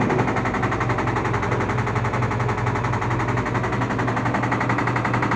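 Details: LG washing machine on spin: fast, hard rattling bangs hammering steadily. The noise persisted with the plate removed; the drum's balance ring is loose and knocking.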